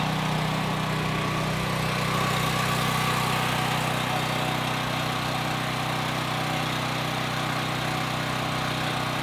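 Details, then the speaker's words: Westinghouse WH7000EC 7000 W generator converted to natural gas with US Carburetion type C kit: steady even drone at constant speed, no surging or misfiring; normal running. "So we're back inside at our transfer switch. You can hear the generator buzzing outside."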